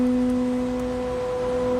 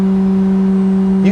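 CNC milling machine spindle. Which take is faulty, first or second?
second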